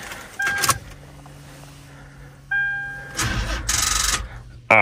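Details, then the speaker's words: Front-damaged Toyota with 150,000 miles (possibly a popped hose or radiator): door chime, then a few seconds of rhythmic starter cranking that almost fires but never catches; it cranks but won't start. "man so close I was about to start but I didn't not too worried about it I mean it's a Toyota pretty good but was not able to start it"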